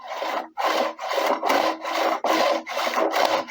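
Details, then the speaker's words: SOREPCO GTX SB 151 A brushcutter with Sachs engine, recoil starter just refitted after reassembly: rope pulled in even rasping strokes about one a second, rewinding smoothly; works without problem. "a priori ça fonctionne sans problème donc c'est déjà une bonne chose"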